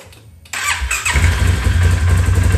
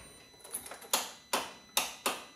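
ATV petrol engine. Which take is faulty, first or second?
second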